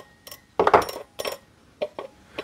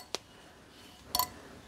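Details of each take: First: Bosch K-Jetronic air metering unit, air flap plate being centred with bolt lightly nipped: light metallic clinks and taps in irregular bursts as the flap bounces on its spring; plate still catching the meter body. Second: Bosch K-Jetronic air metering unit, air plate re-centred with a 10 mm bolt: two light metallic clicks as the plate lifts and drops back onto its spring, with no scraping; plate moving freely.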